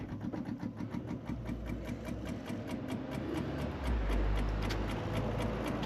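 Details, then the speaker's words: Triumph TR7 wiper motor with the battery reconnected: rapid regular ticking, about four per second, over a low motor drone that sags and labours; the wipers can be stopped by hand. Weak wiper motor. "But I can manage to stop them just gripping them, so that motor sounds like it's struggling."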